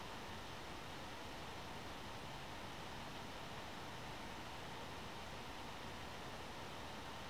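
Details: One Netbook One Mix 2S Yoga 7-inch mini laptop running Prime95 CPU stress test, temperatures and power rising: steady airy whoosh of the small fan spinning hard, growing louder, no ticking or rattle; normal cooling fan under full load.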